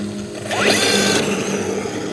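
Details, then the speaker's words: Arrma Granite RC truck with a cheap slipper clutch and brushless system: on launch the motor whine climbs fast, then flattens into a buzzy drone as the slipper clutch gives up; possibly disc spline interfering with the bushing. "you see it start moving and then you hear the slipper clutch giving up so sure I could tighten it a little bit more"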